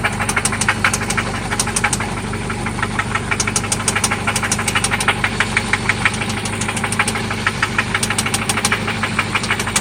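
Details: 1995 Toyota Celica ST after an oil change and new spark plugs: sharp metallic knocks tick steadily over idle, roughly three per second, loud above the engine hum, seemingly localized to one spot; engine knock of unknown origin.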